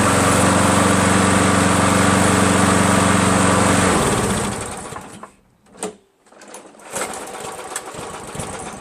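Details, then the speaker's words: Free green Craftsman 7HP self-propelled mower runs briefly at a steady fast beat, then winds down and dies; chronically hard to start. Valves lapped twice, keyway checked, carb cleaned thrice and replaced; owner suspects weak gas, spark or carburetor, unconfirmed. "well there it is so you guys can maybe help me try to figure out what's wrong with that I mean it seems like maybe the gas just isn't strong enough or the spark isn't good enough to start or it's got to be a carburetor problem right"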